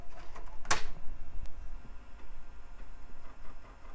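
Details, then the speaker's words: Early-2000s eMachines PC drive trying to boot from a CD-R: a sharp clack, then faint irregular seeking and retry ticks as it struggles to read. Either the drive is bad or it can't read CD-Rs (unconfirmed). "no doesn't sound good wow two bad drive so far"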